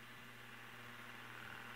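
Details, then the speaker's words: 1940s Westinghouse Mobilaire pedestal fan motor after repair (new run capacitor, head wire, grounded line cord), run at about 95–115 V on high and low: smooth, quiet, steady hum, normal for its age. "it's not completely perpendicular it's leaning back a little so not the best either but it's it's really quiet actually for the age of this motor"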